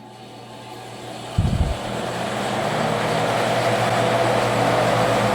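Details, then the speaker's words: Restored Emerson fan with freshly greased fittings, switched to high speed via its original pull-chain switch, bearings still loosening in: a bump, then the hum climbs smoothly to a steady high speed with no rattle or scrape. Normal running. "and already huge uh air movement circulating on the garage here on high"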